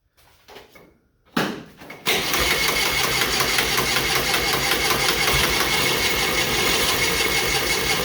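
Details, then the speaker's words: John Deere Model R pony motor, first start after reinstall, after readjusting the metering fuel valve (no throttle): sputtering pops while cranking, then catches into fast, even putter. Intermittent firing turning into running; intake and coolant not yet hooked up. "Well, we're getting some pops. We might be getting close."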